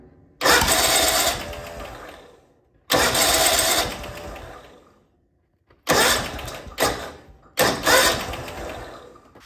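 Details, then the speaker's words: Riding lawnmower that won't start, starting fluid sprayed in carburetor: cranking with sudden sharp pops backfiring out of the carburetor; intake valve on one cylinder found not moving. "so I sprayed a little bit of starting fluid in the carburetor and now it is backfiring out of the exhaust or excuse me out of the the carburetor"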